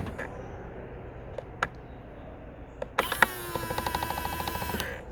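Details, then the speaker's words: Skoda Octavia Mk3.5 power-folding wing mirror retracting: the motor whirs about two seconds with rapid light clicks from a dry coil spring in the sprung breakaway mechanism vibrating; the fix is spray grease on the spring. "if you watch that little coiler spring down the bottom there you can see it sort of vibrating backwards and forwards and that is where the noise is coming from"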